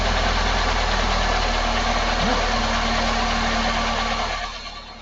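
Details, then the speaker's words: 1999 Ford Escort, transverse engine, heard through a screwdriver held on a fuel injector as the engine starts. It settles into a steady idle with a light, even tick about four times a second. The injector is clicking normally. "i'm going to take the screwdriver and i'm going to listen to the injector and see if i can hear it attacking could you start the engine"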